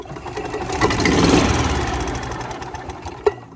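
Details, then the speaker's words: Club Car golf cart small single-cylinder engine during carburetor adjustment: mixture screw knocked all the way out, light throttle blip. Chugs unevenly about three beats a second and lags picking up, due to incorrect low-speed jet air mixture. "then what I'm going to do is take it knock it all the way out like that and give it a little bit of gas you see watch the lag on the engine"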